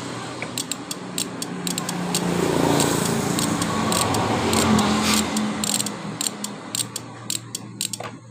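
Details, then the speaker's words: Beat motorbike whose electric starter works only sometimes, ignition key tested normal: the starter makes repeated sharp clicks ("cek cek cek") without cranking; the owner says tapping it lets it start. Starter fault suspected. "baik-baik suara Bandit stater ini bunyi cek cek cek"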